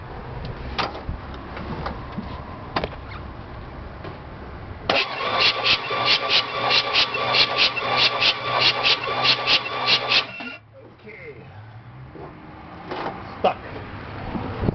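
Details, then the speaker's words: Dead 305 that won't start, cranked during a compression test: steady even starter cranking about five seconds without catching, evenly spaced beats; gauge reads 170 psi, healthy compression. "do we got Wow 170 pounds not bad for a junker clunker"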